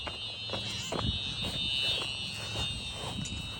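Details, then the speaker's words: Simplex fire alarm system (4004 panel, 4903-9425 TrueAlert, 2098-9201 smoke detector) tested on continuous, heard from outside; steady high shrill tone without let-up; continuous alarm. "Wow, listen to that thing. Wow, that is one loud alarm."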